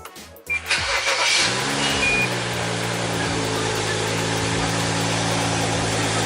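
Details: BMW N55 (E90-E93) cold start right after installing an eBay aftermarket intake charge pipe: starter whirrs briefly, engine catches and settles into steady even idle, no knocks or rattles; sounds healthy.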